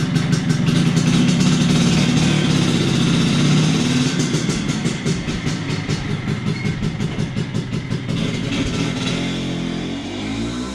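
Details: 1983 Vespa PX125E first start after full restoration with overhauled engine, new crankshaft, 177cc cylinder kit, new bearings and clutch discs: even two-stroke putter building with a few revs, then settling and fading cleanly; healthy running.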